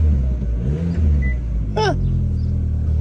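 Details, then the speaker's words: 2013 Mini exhaust leak at a rusted-through flex pipe joint, temporarily wrapped with an old hose clamp: deep, smooth exhaust rumble on revving without raspy puffing or ticking, much quieter; new flex pipe and clamps still needed. "All right, that seems to have quieted the car down quite a bit."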